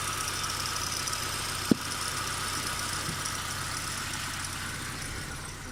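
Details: Nissan Micra K12 1.4 (CR14DE engine, 104,000 miles / 166,400 km) at idle: light, even ticking chatter over the engine hum; owner unsure whether it is the timing chain or the drive belt tensioner.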